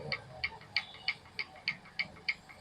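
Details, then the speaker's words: Royal Enfield Bullet UCE idling before valve adjustment: crisp, evenly spaced ticks about three per second over quiet idle; tappet noise from loose inlet and exhaust valve clearance. "Valve ലോഡാണ് സമയത്ത് നമുക്ക് സൗണ്ടായിട്ട് feel ചെയ്യട്ടോ. അതിപ്പോൾ ഈ inlet പിന്നെ wheel ലൂസാണ്, അതുമാതിരി തന്നെ എക്സോസ്റ്റും loose തന്നെയാണ്."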